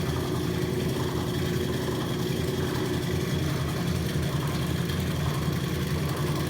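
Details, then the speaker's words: Rotary vane vacuum pump, retrofitted with KF25 fittings and overfilled with oil, pulling down the vacuum manifold of a neon bombarding setup: low, steady hum with a soft even pulse, no grinding or rattles; runs normally. "but it's going. sucking down a vacuum. i like it. the pump down there... pumping. good job, pump."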